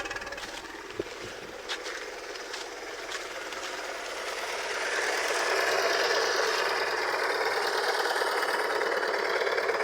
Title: A cracked Coil pack, your #VW will sound like this #Garage #K53